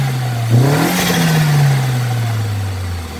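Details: 2000 Audi TT fitted with a new Bosch blow-off valve. Revs climb then drop away, with a short airy rush as the throttle shuts; the blow-off valve vents as it should.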